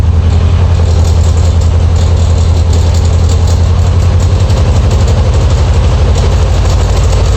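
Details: Air-cooled VW Beetle Type 1 at idle. Heavy low idle with a loose, uneven chatter; noise near the alternator pulley, owner suspects an eccentric pulley.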